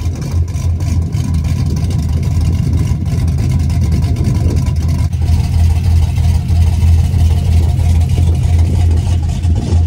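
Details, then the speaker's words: LS-swapped daily driver with 200,000 miles, driving after repair: a steady, smooth deep V8 drone with no rattle or buzz. A noise previously heard from the firewall area only while driving is fixed; only slight lifter chatter remains. "I usually could really never hear it at idle but I could only hear it when I was driving just kind of like in the firewall [Music] area yeah it's definitely fixed it sounds way way"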